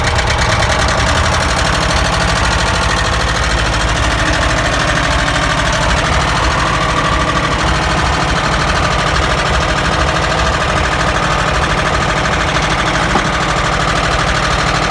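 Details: ZAZ engine at idle with spark plug caps pulled: a hard, regular knock runs through a steady loud idle the whole time; mechanical knock source not yet traced.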